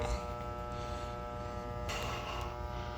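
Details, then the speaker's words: Goodman furnace on a no-heat call, thermostat set to heat at 90 with the call jumpered at the board: steady electrical hum but no spinning whir; the motor is powered but locked up and not turning, no fault codes on the board. "Power is definitely getting to this motor, but it's not turning. That's not good."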